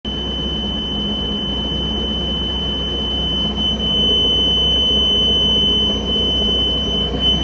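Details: Mariah SX-18 boat with Mercruiser 3.0 engine: the pre-start warning beep continues as a steady high-pitched tone after starting while the engine runs smoothly; cause unknown.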